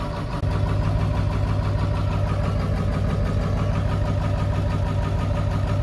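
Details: Ford 7.3L Powerstroke diesel (lift pump, no electric pump), new fuel tank and filter, just reprimed after sitting days with empty fuel bowl; loud low clatter catches and settles into rough, uneven idle while air bleeds out of fuel system.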